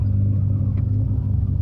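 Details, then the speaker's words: Nissan Altima SE-R after replacing bank 1 camshaft position sensor (straight connector) for code P0340: test drive held in reverse gives an even, steady low drone with no surges or bucking; rough idle remains, attributed to a vacuum leak. "bucking so that's good a plus plus for me"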